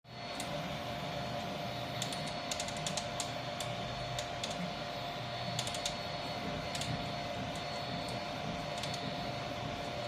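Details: Irregular sharp cracks and pops over steady motor hum while printing on a Vivedino Troodon 300x300, from the right side of the gantry, when the right motor turns, worse at higher speed; owner suspects right front pulley bearings.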